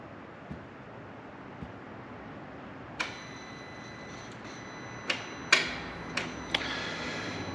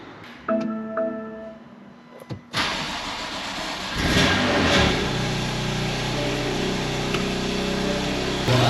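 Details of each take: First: BMW M2 Competition (N55/S55) after crank hub and eccentric shaft actuator replacement, resetting limit positions: sparse, uneven sharp ticks with faint metallic ring from the Valvetronic eccentric shaft actuator, which was at its end stop; ticking from engine top end. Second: BMW M2 Competition (N55/S55) first start after VTT spline-lock crank hub install; fires, flares, then smooth steady idle with no knocks, before Valvetronic relearn; normal start and idle.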